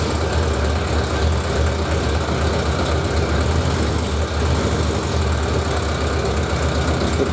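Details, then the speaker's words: Suzuki 1100G four-cylinder, first start after removing carbs and clearing idle jets gummed from sitting, which had caused misfire on at least one cylinder: rough, lumpy idle with occasional stumble; still a slight misfire. "trocar a little bit of misfire"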